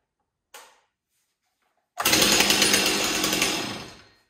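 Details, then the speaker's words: Stihl 026 chainsaw after a scored piston and cylinder were replaced with an MS 260 kit that adds a decompression valve: one light pull and it fires at once, running with a crisp, even buzz; normal start and run. "well it doesn't get any easier than that especially if you want to run something as awesome as an o26"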